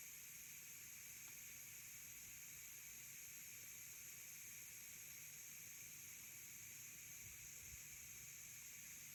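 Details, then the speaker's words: New electric pressure canner with pint jars, still warming up and not yet at pressure: steady even hiss of steam, growing stronger, no rattle or sputter; normal steam venting during warm-up. "That steam is getting stronger."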